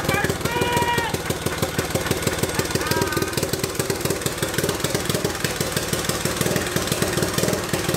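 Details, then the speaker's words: Turbocharged EFI 660 lawnmower engine on its first start, lumpy uneven chugging at fast idle; running rich from too much fuel, improving significantly as fuel pressure dropped. "it's definitely too much fuel because as fuel pressure dropped there it got significantly better"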